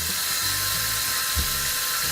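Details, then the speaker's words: LED faucet light with hot water running: thin steady high whine above the constant hiss of water flow; unit makes a slightly weird whining noise. "let's turn the hot water on and makes a little little whining noise you hear that kind of weird"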